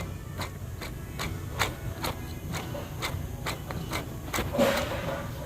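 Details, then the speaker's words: Removed belt tensioner pulley from a BMW X5 M50i (G05), turned by hand: sharp, regular clicks about twice a second from shot bearings; worn tensioner gives a whine like a bad power steering pump. "I don't know if y'all could hear that, but the bearings are shot in this tensioner."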